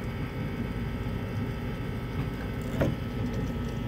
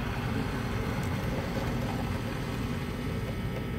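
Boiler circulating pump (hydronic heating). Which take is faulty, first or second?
second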